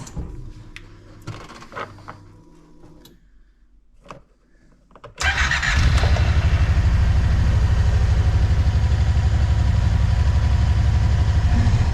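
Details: Kawasaki Teryx 4 just after swapping stock ECM for VForceJohn tuned ECU: fires quickly after short crank, settles into steady even idle pulsing about four times a second, no misses; normal start and idle.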